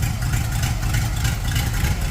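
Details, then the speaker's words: 1930 Ford Model A street rod with a 283 small-block Chevy and Borg T10, parked since 1973: deep, lumpy V8 idle with a rough puffing chuff over the rumble; engine is otherwise quiet, louder only because of an exhaust leak. "Yeah, it's so quiet. It's only somewhat loud because of the exhaust leak."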